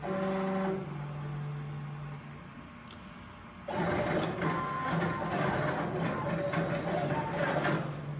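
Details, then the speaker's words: OpenBuilds BlackBox-controlled plasma table with NEMA 23 steppers after controller replacement: abrupt stepped whine, rough hiss and uneven jerks at the same spot each cut; voltage adjustment didn't help, lead screws move freely. Stepper motor jitter, cause unknown. "sounds like the motors are being torqued to the max those are the nema 23 motors"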